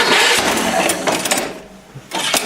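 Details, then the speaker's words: 1975 Sears Suburban SS16 with 16hp Onan BF/MS twin, winter cold start: uneven cranking bursts with gaps, no steady firing; turns over but won't catch. "okay now she don't want to"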